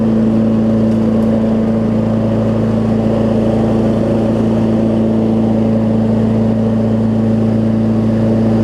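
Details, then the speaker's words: Craftsman T2200 riding mower with a Briggs engine, after cleaning a gummed Nikki carburetor that caused surging. A steady, even drone with no surging. A new exhaust gasket made it quieter, but it still sounds like a slight exhaust leak; normal running. "it sounds like it's got an exhaust leak or something but it is much quieter after i put that new exhaust gasket on"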